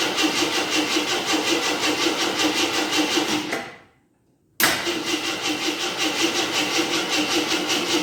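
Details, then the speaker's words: 1983 Jeep Scrambler barn find, sat 4–5 years, just filled with 5 gallons of gas: steady rhythmic cranking with a brief pause, never catches; fuel pump not delivering, then a hot smell, owner suspects the starter. "okay I just put 5 gallons of gas in it let see if it pumps on few now see what happens"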